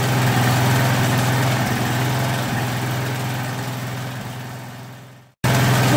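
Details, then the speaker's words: Craftsman 2700 PSI pressure washer with Briggs & Stratton 275cc OHV with idle-up/idle-down feature, first run after adding oil, smoking: an uneven thumping that sags, then cuts out. The owner may drill the carb. "[Applause] oh that's weird [Applause] may have to drill the carb tomorrow"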